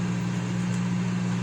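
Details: Consul CM020 20-litre microwave after magnetron replacement (previously loud noise and no heating), heating water for one and a half minutes. Even steady low hum with constant buzz underneath, no rattles or crackling; heating normally.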